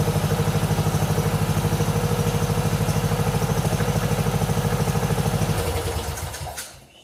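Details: 1997 Mastercraft (MTD) 38" lawn tractor, 12.5hp Briggs & Stratton single, parked outside for years, on choke from a hose fuel reservoir while low on oil: even chugging about three beats a second, no misses or knocks, then winds down and stops; healthy.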